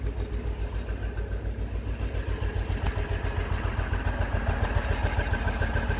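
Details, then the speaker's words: English Isetta single-cylinder, cold, just started after a carburetor float check and a fresh battery, with a small backfire: regular, even low thumps about three and a half a second with no clicks or knocks; healthy idle, though the float level is dropping. "just running away really nice sounding engine that's how this ultrasound no clicks no clacks no bangs that sounds really good"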